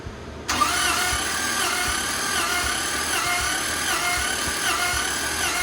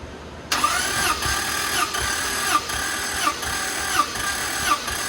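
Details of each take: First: Toyota Land Cruiser that lacks power and eats oil, compression test while cranking: even starter whir with no firing, one cylinder reads low and the owner suspects a leaking valve, to be checked with a leak-down tester. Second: Toyota Land Cruiser that lacks power and eats oil, compression test while cranking: this cylinder reads about 180 with steady, even compression beats roughly every three-quarters of a second and no missing stroke, so it is healthy.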